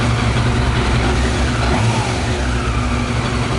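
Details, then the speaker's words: Yamaha YZF 600R after the whisky was drained and the tank, carburetors and pump were cleaned, on fresh petrol: starts without problem with a steady, even rumble and a smooth rev blip, no misses. Normal running, no damage. "Start no problem on the petrol. Okay. No damage."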